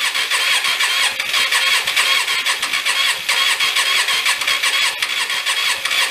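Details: Hyosung Aquila GV250, sat 9 years after dying while riding, oil in the cylinders; clutch in, choke thought to be off: a steady fast cranking whir with no firing, and it blows smoke. It cranks but won't start, cause unconfirmed.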